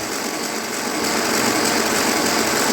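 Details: 1955 Ferguson TEA20 tractor pulled from a junkyard after years of sitting, oil reaching the rockers: the engine spins over on the starter with a steady, even, fast whir without firing, turning freely now that it isn't dry.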